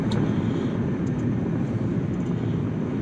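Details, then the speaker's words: 2010 Kia Soul after passenger-side CV axle replacement, road test at about 70 mph: steady road and tyre rumble with no wonk or drone, though the noise was previously heard above 30–40 mph; the axle sounds normal. "I don't hear it at all I don't hear that wonk sound, you know. So hopefully, hopefully we got it, you know."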